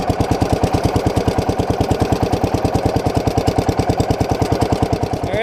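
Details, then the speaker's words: Kohler K341 single-cylinder engine on an Allis Chalmers 716H mower, fitted with a new starter while the faulty solenoid stays always live, cranks with steady strong thumps about two per second, no grinding, and catches cleanly; normal cranking and start. "The starter starts it like new, like a new machine, so for $80 on Amazon, not bad."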